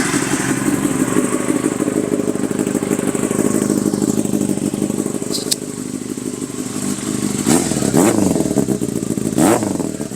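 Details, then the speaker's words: Yamaha R6 motorcycle being flipped, very loud exhaust that shoots flames: lumpy idle with crisp clean throttle blips, no knocks or rattles; healthy engine revving. "I don't even know if this is capturing it, but yeah, it's pretty loud. It's a very loud bike. It also shoots flames. very loud. It sounds good."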